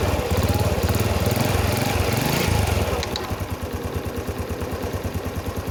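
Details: Honda Wave S 110 single-cylinder engine, repaired for piston noise: revs drop off, then an even putter of about three beats a second with no tapping; normal idle.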